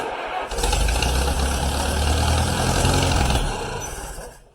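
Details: 1953 Allis Chalmers WD45 tractor, first start attempt after over a year of repairs: starter churns the engine steadily about four seconds but never catches and winds down; cranks but won't start.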